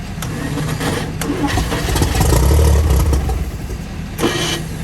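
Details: 1955 Chevy revived after sitting, fed from a five-gallon fuel jug with starting fluid; catches and settles into a low, somewhat uneven rumble with a brief rev and keeps running on its own.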